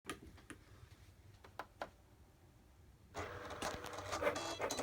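A few light clicks, then a harsh, gritty grind sets in and keeps going as the cutter moves: something is grinding in the drive.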